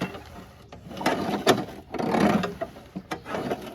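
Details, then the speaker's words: WeedEater 21" push mower, Briggs & Stratton 500 Series 158cc, engine off, pushed along: irregular metal scraping and rattling underneath, found to be a bent deck baffle dragging. "And then when I was pushing it to my car, I don't know if you guys are gonna be able to hear this, something's dragging underneath."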